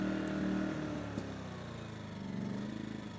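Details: Yamaha EF2000iS inverter generator surging at idle, note repeatedly sagging and climbing back, worse in Power Save mode; likely caused by a clogged carburetor pilot jet, to be cleared with a sewing needle.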